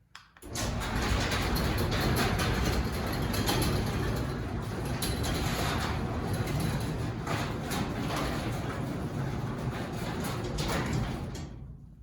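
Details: Newly installed Chamberlain B500 belt-drive garage door opener, an after-install test of whether it is quieter: a steady low rumble with a hollow metallic rattle from the door panels, no grinding or straining. Normal operation.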